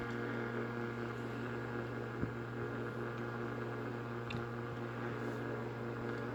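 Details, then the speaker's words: Early-1960s FoMoCo car radio on the bench with a makeshift wire antenna: steady hiss and hum with faint pops and crackles, untuned radio giving static, no station coming through. "let's test this out you can immediately hear static that's always a good"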